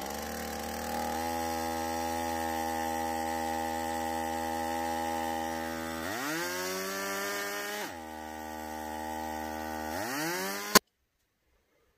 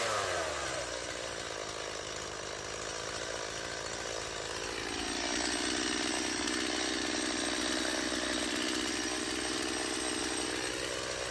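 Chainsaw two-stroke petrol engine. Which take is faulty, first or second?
first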